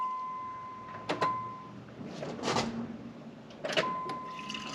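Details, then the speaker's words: 1994 Pontiac Trans Am GT after sitting 17 years, key cycled off and on to push old gas out of the lines: a thin steady electric buzz runs, cuts off with a click, then returns; normal fuel pump priming. "you have to let it prime up do you hear the fuel pump"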